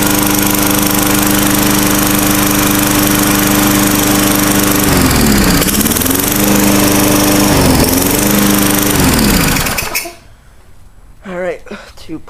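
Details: Tecumseh 4 hp 21-inch-cut lawnmower after a cold start, oil not yet changed: loud steady buzzing drone with a couple of brief speed dips, then shut off; running normally.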